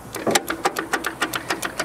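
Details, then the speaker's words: Locked-up 1962 AMC Rambler American sitting 50 years, rat-chewed wiring: rapid dry clicking, about seven a second, with no engine rotation; starter clicking without cranking, tapped with hammer, owner suspects the cable isn't sending enough current. "I bet we're gonna have to persuade that starter to do some work again."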